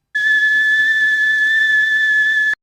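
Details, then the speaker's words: Kettle at the boil: a steady, piercing high whistle from the spout holds for over two seconds, then cuts off sharply. Normal whistling, explained as heat transfer under the first law of thermodynamics. "Apa itu Kok bisa bunyi begitu ya Nah itu karena pada saat air mendidih terjadi hukum 1 Termodinamika yang disebabkan oleh perpindahan kalor"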